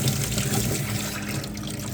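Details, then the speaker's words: Automatic float-switched boat bilge pump under a sink, about a year and a half in near-daily use, kicks on with a low hum under rushing, gurgling water, pumping up to the elevated washer-dryer drain normally. "So it's been going like this for over a year. So, maybe about a year and a half, and I haven't had any problems with it. So, here it goes. You hear it kick"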